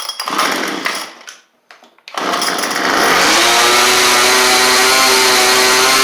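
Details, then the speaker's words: Craftsman weed eater, carb already tuned well, cold start: a few pull-start bursts, then it catches and settles into a steady, even high-pitched buzz with no misses; normal running before adjusting with a Pac-Man style carb tool. "So this one's actually tuned pretty good. I am just going to show y'all that everything works like it should on it."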